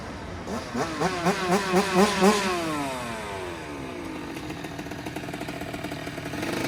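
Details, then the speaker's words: 2009 Kawasaki KX85 two-stroke, needing more than a carb clean, now running much better. Crisp blips to high revs that rise and fall cleanly, then a steady idle; sounds as it should. "Well, it sounds like it's running a lot better, so that's good."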